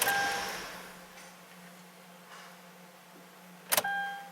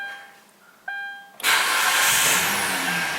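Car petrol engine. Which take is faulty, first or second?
first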